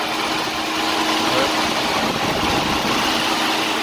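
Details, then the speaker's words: 2012 Chevy Impala with cooling fans that were not turning on, now working (the test is unplugging the temperature sensor, which should make the fans come on): a steady, even rushing whoosh over the idling engine with no rattle or scrape; normal fan running. "fans are working right now and um they weren't working"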